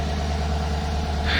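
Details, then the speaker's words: 2018 Chevrolet Suburban LS V8 after overheating, suspected blown head gasket, misfire codes on one bank, weak battery, engine very hot: steady low idle with a quick puffing tick on each firing pulse from an expected exhaust leak. "Alright, I'm just going to start it up. It's on. I have an exhaust leak just like I expected."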